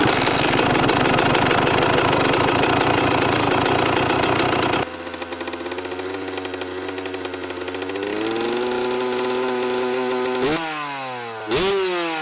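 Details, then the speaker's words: Kawasaki KX125 two-stroke dirt bike, first start after sitting too long (rough idle at first, run outside): crisp buzz settles to steady idle, quick throttle blips climb and drop cleanly; fired up surprisingly well, sounds pretty good, normal running. "oh well she fired up surprisingly um sounded pretty good there were some things I was kind of trying to pay attention to there"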